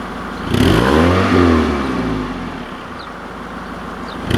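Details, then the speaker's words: Car cold-started at about 3°C in damp weather: a couple of quick blips rise and fall smoothly, settling to an even idle around 1500 rpm, which owner says is always normal for it; no knock or rattle, healthy. "mais voilà un parfait voile ralenti à quoi 1500 tours je crois que j'ai toujours connu comme ça cette voiture ralentit comme ça"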